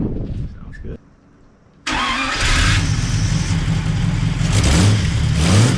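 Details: 1939 Buick 248 engine with a new coil, points checked and a weak battery: cranks briefly on its first start, then catches and settles into a steady, even idle with a low regular beat and no knocks or misses. Normal running.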